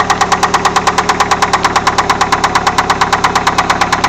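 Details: Engine at idle with a loud, sharp, very even knock about three per second, a hard bottom-end knock; owner suspects a rod bearing, unconfirmed.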